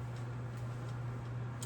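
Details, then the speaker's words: Early Menards spotlight ceiling fan on high, drawing 0.61 A and 72.8 W, blades repitched and balanced: steady hum with light ticks about every half second per turn; blade tapping, cause unconfirmed. "Actually, with the tapping noise it's making, you can make a song out of it."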